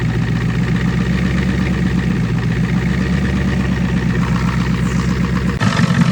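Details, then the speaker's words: Cold start of a 25-year-old Ford 6.9 IDI diesel plow truck: it fires right up and settles into a deep, even diesel clatter at steady idle with no misses or knocks; normal healthy idle after cold start. "here's some proof of life for you oh well it fired right up let me uh start it up again for you"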